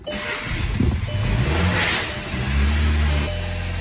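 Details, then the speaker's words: VW Jetta after replacing spark plugs with broken porcelain that caused misfires and rough running: petrol engine starts and revs up, then settles into an even, steady hum with no stumbles. "Perfect. All right, that's it. We fixed it. Just a misfire. Needs some plugs."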